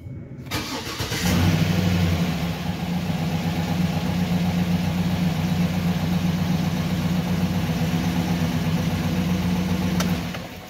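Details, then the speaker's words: Engine with a hard-cranking issue suspected from fuel delivery or fuel pressure bleed-off, after a new sensor was installed and the fuel pump primed: it starts right up but runs coarse and rough. "god this engine sounds like crap okay so first time as you can see it started right up"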